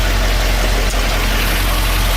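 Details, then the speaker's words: 1973 Ford F-250 Dentside 4x4, lifted 429 big-block V8, 65,000 on it, unregistered 8 years, recently primed and started: loud, clattery diesel-like idle with some upper engine noise; then stalled, owner suspects weak oil pump. "I'm going to go ahead and run it inside. It's loud. Yeah, it sounds like a diesel. But it's really not."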